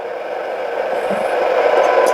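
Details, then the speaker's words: Yaesu FTM-10 VHF/UHF mobile radio with a receive fault on 70 cm (439.50 MHz): steady hiss, signal only emerging at −73 dBm (S9), hardly any audio above the noise, no S-meter reading; same fault as on 2 m. "ah it is coming out of the noise so that is uh - 73 so that that is already a short wve uh S9 and you hear a lot of noise so that means on 70 CM we have definitely the same problem"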